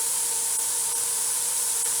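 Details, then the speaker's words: Presto 23-quart pressure canner, which has been acting up, gives a loud, constant steam hiss venting far too hard; the heat needs turning down to reach the steady 10-minute venting stream. "okay can you hear that it's way too hard I need to turn my heat down a little bit"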